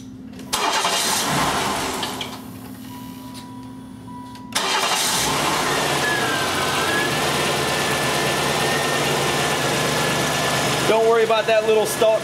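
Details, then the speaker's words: 1993 GM 3.1, started after the battery had been disconnected: catches, dies within two seconds, then restarts and settles to a steady idle; normal start-stall until the idle relearns, and the alternator then charges at 14.2. "start stall there we actually have the battery disconnected that is not an issue that will go away once this vehicle relearns the idle"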